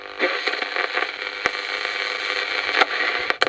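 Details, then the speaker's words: 1980s Hanimex radio (HR1300/HR1225) check-over: steady hiss and crackle with a few sharp clicks from the power switch; picks up a station fairly well, most scratchiness gone, slightly dodgy. ">> Yeah, it picks up fairly well. Think most of the scratchiness is gone. It's a little bit dodgy."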